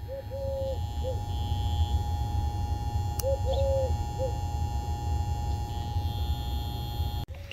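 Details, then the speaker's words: Ford Zenith 6-volt positive-ground tube car radio on bench supply, phone against the set: faint steady buzz under bird chirps; vibrator power supply running normally. "oh we have a vibrator running let's see if i can put this on i don't know if you can hear the vibrator over all these birds"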